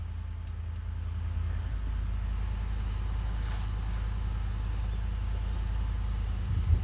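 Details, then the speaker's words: Ford F-150 running after replacing blown 20 A fuse no. 20 for fuel pump module (crank-no-start; overload suspected): deep steady low rumble, even beat, no misses or knocks; runs smoothly and healthy. "So start na. Narinig niyo andar. So andar siya guys."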